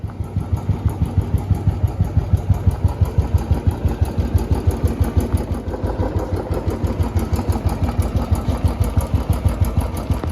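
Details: Royal Enfield Bullet Classic 350 after a periodic service with new oil and an oil additive: even single-cylinder idle thump with a light tick on each beat. The noise fades at a certain rpm and is absent at 60 in fifth gear; source unconfirmed.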